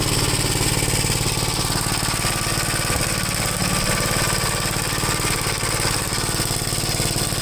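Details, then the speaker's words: 1973 Gravely C8 single-cylinder engine after top-end rebuild, popping persists: rough running with uneven exhaust pops about three a second; suspected ignition problem, trying another ignition wire, with a magneto swap if that fails. "i don't know to me definitely sounds like an ignition problem this fire"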